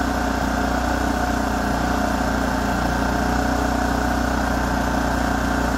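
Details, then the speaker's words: Kipor KGE3000TI inverter generator, made 2006, after no-start fixed by carburetor cleanout; steady even hum with smooth firing beat, no misses or surging, running the way it should after low idle with smart throttle. "up sounds good well everyone looks like I'm going to be able to end this video on a high note we have this Kipper generator running the way it should"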